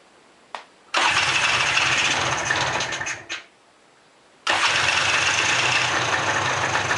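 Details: Mid-90s Polaris 400 two-stroke ATV revived from a pile of parts, choke on, oil tank empty: fires after short crank, runs seconds and dies, catches again into busy raspy buzz; starts and runs, rev limiter thought to be killing it off throttle.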